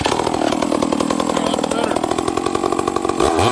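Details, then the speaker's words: Chainsaw, cold and not warmed up, burbling unevenly at idle and loaded up with fuel and smoky; low-speed jet set slightly rich, then leaned out slightly. "i think this saw's a little rich on the low jet or okay look i'm just gonna turn it in just a squeak okay i could hear it when i fired up there see how it's kind of loaded up with fuel"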